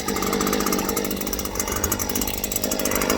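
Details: Stihl two-stroke hedge trimmer, sluggish; runs ragged and rattly with an uneven choked buzz, never clearing out; fits a clogged spark arrestor screen.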